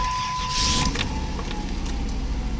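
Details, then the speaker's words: 2002 Dodge Grand Caravan 3.3L V6 after starter replacement: a short starter whirr, then the engine catches at once and runs steadily; the starter works fine. "yep started right [Music] up cool successful job"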